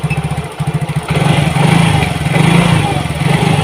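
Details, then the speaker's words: Yamaha Mio GT fuel-injected scooter, hard to start and won't idle, injector already cleaned and filter replaced: throttle held open surges and stumbles with uneven lumpy beat, slow response; clogged injector, injection 2.5–3 ms, mixture trim adding 7.7–7.8%. "Nah, responnya pun nggak bagus kawan ya, terasa lambat."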